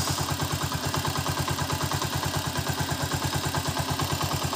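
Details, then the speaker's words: Honda TMX 125 single after valve clearance set to standard 0.08 mm, warming up: light, even ticking about three a second over steady idle; small valve tick is normal, clearance grows as the alloy head heats. "so yan Yung kanyang tunog normal na ano na bariran 0.08 k mapapansin niyo meron siyang konting lagitik"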